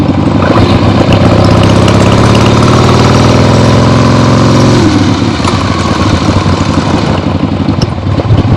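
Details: Freshly rebuilt 1975 Harley-Davidson XLH Ironhead Sportster V-twin on short test ride around the block; loud lumpy sound pulling cleanly through revs then settling, no knocks or popping; carb farts probably adjusted out once warm; normal running.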